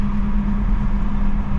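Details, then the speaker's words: Gen 1 B58 turbo six on a big single turbo, stock motor, new exhaust, idling after wastegates were taken apart and refitted so they stay closed: low, steady, even rumble with no flutter, hiss or rattle, way quieter, sounds bone stock. "It's way quieter now. You guys hear that? Bone stock."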